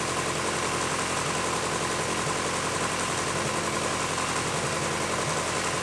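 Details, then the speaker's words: Idle before fitting an aftermarket timing belt tensioner, factory tensioner maxed out: a loose, irregular slapping flutter about twice a second over a steady idle; slack timing belt flapping, at risk of jumping a tooth. "so like you can see right there and like you can hear there's the belt is moving like that and it's pretty pretty loose"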